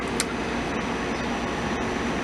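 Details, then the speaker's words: hOmelabs 5000 BTU window air conditioner fitted in a crank-open window, recorded from outside over the carport: steady, even whoosh and hum with no knocks, rattles or pitch changes. Normal running. "So this is what it looks like and sounds like from the outside."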